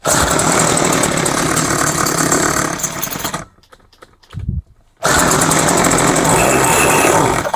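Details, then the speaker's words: Craftsman 21cc two-stroke hedge trimmer, after rebuilt-carb metering-side rework, with choke on. A loud buzz climbs and holds high revs, stutters briefly, then catches and screams again. It is revving up, though later judged not getting enough fuel. "Okay, choke is on. Oh, she's starting to rev up. That's a good sign."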